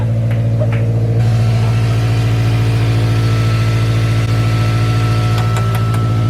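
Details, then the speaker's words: Scion FR-S (Subaru boxer) with UEL headers, catless front pipe and Tomei 80R exhaust, idling after a new belt and pulley: steady, even low hum with no squeal or chirp; the earlier squeak is gone, a normal idle. "dude this is so weird it is so quiet i don't know if you guys noticed in the videos but it was so squeaky"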